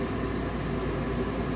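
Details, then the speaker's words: New Fasco replacement draft induction blower (119256-00 / ICP 1014341 JA) at furnace startup before ignition, replacing the noisy old motor; steady even low whir, no rattles, knocks or surging: normal draft inducer operation. "it's a much quieter motor so yeah definitely the old motor was it was going out it was making a lot of noise"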